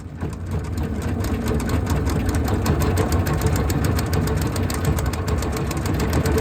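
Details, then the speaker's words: Honda GX160 engine on Logic MSC120 sweeper running rough as if on choke with some black smoke, suspected blocked air filter; light irregular clickety-clack from around the engine. "If you listen very carefully, you can hear that clickety clacky sound coming from around the engine."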